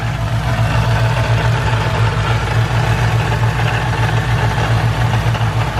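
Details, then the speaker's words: Stock supercharger (blower) at idle making a new uneven, rough whirring over the low engine drone; owner thinks the blower is broken, possibly its bearings. "this is the superchargers lovely new noise I'm gonna try to capture it the best I can"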